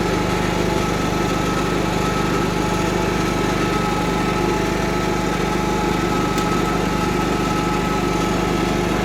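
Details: Cub Cadet 1330 Kohler single at idle, first run after long sitting, with a plastic piece removed from the tank outlet; steady, even putter with no misses or knocks; runs smooth and healthy.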